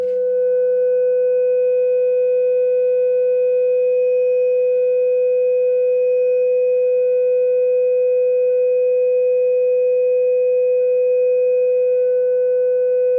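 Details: Repaired Fender Hot Rod Deluxe after filter cap and circuit board restoration, warmed up and reassembled, signal generator into input, output into 8-ohm dummy load and oscilloscope: pure steady test tone with no crackle, buzz or breakup, passing signal cleanly.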